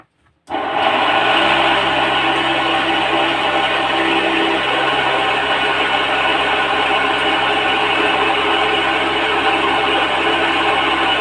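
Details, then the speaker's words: Agricultural spray machine pump motor spins up to a steady high whir with a dry, gritty rasp. It is noisy, water output is down about 30%, the washer seems fine, and the bearing is to be changed. Worn motor bearing. "तो आज हम इसको मतलब इसका आवाज कर रहा है इसके लिए इसका बरिंग को चेंज करेंगे सिर्फ सिर्फ बरिंग को चेंज करेंगे आवाज कर रहा है इसकी वजह से"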